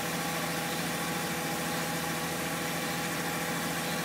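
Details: BMW E46 320iA, M54B22 petrol engine, fully warm, ambient around 20°C: bright metallic rattle, front right, over a steady hum under load (accelerating or uphill), clear from 0:50; quieter when stationary in D. Owner doubts oil pump, VANOS or wheel bearing.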